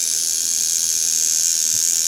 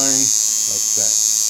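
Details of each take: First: Cheap $5 kit coil tattoo machine run straight out of the box at about 4–5 volts, before tuning: a steady, thin, high buzz with a rattly edge, chattering from a loose contact and soft spring. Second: Cheap $5 kit coil tattoo machine retuned with new armature bar and springs to line, running at only 6.5 volts: steady, high, even buzz with no stutter or rattle, running cleanly as a liner.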